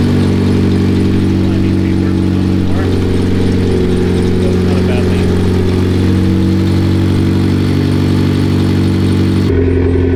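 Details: Mitsubishi Lancer Evolution X during rebuild, brake lines replaced, run to circulate coolant and watch temperature: smooth, steady idle with even low hum, no knocks, misses or hunting; sounds healthy.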